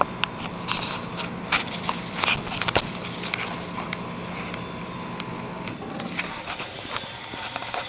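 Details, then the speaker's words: 2001 Trane XE1000 5-ton heat pump in heat mode at about 45°F, frosted outdoor coil; steady airy hiss with scattered pops and ticks, no motor drone, as it shifts into defrost, followed by a steam show. "that sounds like what it did when it defrosted last Christmas or it might have just shut off I don't know see what it does holy it's defrosting it's actually defrosting"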